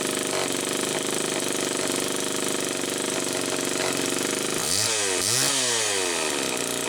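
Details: 1974 Homelite XL-2 chainsaw test run after air leak repair: buzzy two-stroke holds a slightly uneven idle, then two quick throttle blips rise and drop cleanly; running normally, idle not quite what owner would like.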